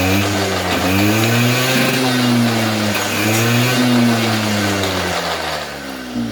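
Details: 2004 Polaris Predator 50 two-stroke mini quad with new carburetor, float height corrected per service manual: buzzy idle climbing cleanly in pitch on each blip and settling back without stumbling or flooding; normal idle and throttle response.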